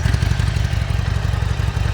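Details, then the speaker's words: Salvage Harley-Davidson V-twin after first start: loud, regular, lumpy idle with no clatter or misses, very quiet for a Harley, engine warning light still on. "That sounds alright. Engine light's still on. Very, very quiet for a Harley."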